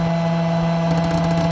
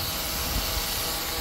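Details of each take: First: Shark Steam & Scrub steam mop that would not steam: loud mains buzz with uneven rattling as the spring-loaded valve plunger chatters instead of pulling in cleanly; solenoid valve chattering, possibly installed backwards (suspected), steaming after being swapped around. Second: Shark Steam & Scrub steam mop that had stopped steaming, after cleaning the pump and refitting its spring-loaded plunger the other way round: steady, even hiss of steam with no sputter or pulsing, now steaming normally.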